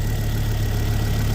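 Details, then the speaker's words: Ford Focus ST225 idle after oil filter housing replacement (failed breather seal): deep, even steady low rumble, no knocks or misses, air pump clicking in and out; no leaks; idling smoothly. "that's just the airon pump clicking in and out yeah so that all looks relatively"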